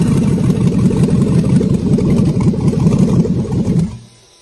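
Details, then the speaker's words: 6.0L LQ4 V8 with 188,000 km, run briefly on an engine stand without coolant: deep, even idle with no misses or knocks, then clean shutoff; healthy running. "there it is there you go Mark 188,000 K 6 L lq4 on the stand wired and fired"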